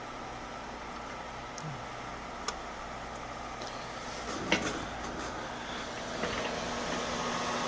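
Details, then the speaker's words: Corsair HX750 replacement power supply, fan running at 100% during gaming and spinning up every few minutes; steady loud airy whoosh with faint hum, no grinding or ticking, while video card stays quiet; faulty unit, later replaced. "that power supply fan is incredibly loud stop some of the fans in this video card here yeah that video card is incredibly quiet all that noise is coming from this fan right here my goodness"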